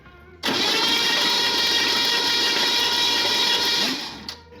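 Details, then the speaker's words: 1977 Ford Fairmont XC GXL, stored over 12 years in a shipping container; automatic transmission fluid put in cylinders to free rings, cranked with plugs out after fixing a neutral start switch issue. Quick, even whirring spin, no compression chuff; engine turns over freely, spark confirmed. "now that we have confirmed that this thing turns over going to get some spark plugs Chuck them back in put some leads on nice fresh leads"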